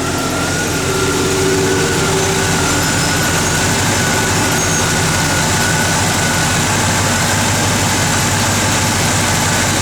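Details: 1972 Chevelle SS, 350 crate engine, Edelbrock 4-barrel and intake, ceramic headers, HEI, H-pipe dual exhaust, idling on a chilly day. Steady, even V8 burble and low rumble with no knocks or misses. Normal idle.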